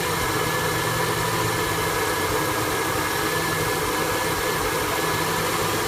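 Steady V8 idle under a hissy wash, with a low beat that wavers and stumbles instead of staying even: a rough idle, cause unclear.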